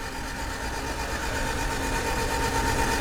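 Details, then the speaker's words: 1991 Honda CRX Si barn find, seized and unrun since 2013, freed with diesel in cylinders: cranking in neutral with spark plugs out, quick even starter churn with rhythmic puffing as each cylinder expels diesel. "So, that's each cylinder firing or not firing, but pushing diesel out of the cylinder."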